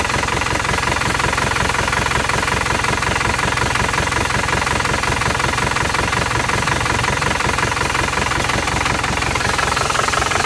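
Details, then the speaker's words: Isuzu Panther LS diesel as it arrived at the shop, after throttle blips. It has a lumpy, limping idle knock of about three beats a second and one cylinder is not pulling. The mechanic suspects a badly leaking compression, though uneven injector nozzles could also cause it. "ada yang enggak ngangkat satu oke kemungkinan sudah ada yang bocer parah kompresnya ini"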